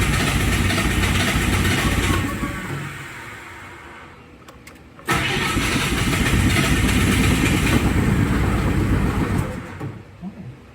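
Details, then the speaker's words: Refurbished Bobcat skid steer diesel, no throttle control, started from inside: catches, runs rough two seconds, dies, fires again, fades out; won't keep running, owner suspects air still in an injector. "She's starting pretty good. She's not running. Probably still has air in one of the injectors."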